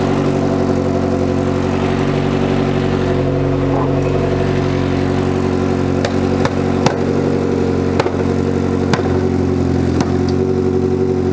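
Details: Citroen BX 16 Valve phase 1, idling on the ramp after restart: steady idle with an uneven chuff and sharp pops over low drone; exhaust leak.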